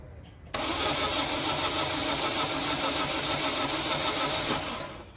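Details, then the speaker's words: Engine cranked in 5-second bursts right after a carbon-cleaning (piston decarbonising solution) job; steady fast cranking churn with a hissy top end and no catch or fire yet. A slow, late start is normal at this stage. "الان استارت خوردن و دیر روشن شدن طبیعیه. استارت بزن."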